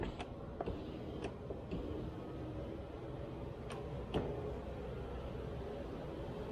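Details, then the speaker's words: 2016 Hyundai Tucson front right window regulator, just replaced and tested. A soft, even motor hum with a few light clicks and no crunching or grinding: normal power window operation. "sounds good no crunchy crunchy grindy grindy"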